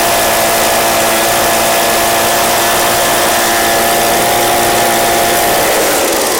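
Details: Echo PB265LN backpack blower, free junk unit fitted with new recoil/pull cord assembly: small two-stroke holds steady high buzzing note with no hunting or surging, running clean and even.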